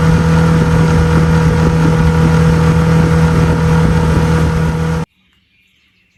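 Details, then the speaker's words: 2002 Lund 1236 jon boat with 6 hp outboard at speed: even, steady drone holding constant revs under load, then cut off; held steady 13, touched 14; running smoothly and healthy. "all right it's the next day but the little sixh horse did pretty good did take a while to get on plane but once it did it got up to 13 steady 13 it actually touched 14 a couple times"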